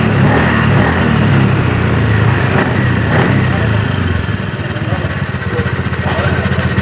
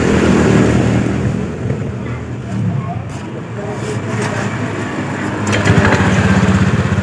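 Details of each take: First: 2018 Honda Scoopy scooter that was noisy from the CVT and down on power from metal-on-metal clutch wear, after new clutch linings: throttle blips pull cleanly with a smooth, even drone and no rattle; normal CVT operation. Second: 2018 Honda Scoopy with CVT-area noise when throttled at low rpm; rear wheel creeps on its own and power is low. Low, uneven rattle and shudder from the drive case as throttle opens at low revs; likely worn CVT clutch shoes.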